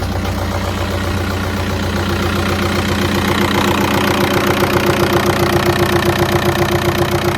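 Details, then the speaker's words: Even, steady idle with no knock on a Golf, run before coolant was added after a camshaft, lifters and timing belt rebuild; the earlier awful knocking noise is gone. "It seems to run okay."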